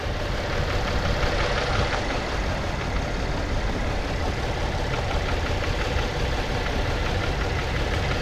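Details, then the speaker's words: Chevy Impala (2012, possibly 2010), formerly crank no-start after crankshaft sensor replacement, just started with 14 volts and the engine light on: slightly uneven thumping idle with a faint irregular stumble. A misfire code is stored; a one-cylinder miss is suspected, not confirmed. "Oh, we got 14 volts. I don't like the sound of this engine."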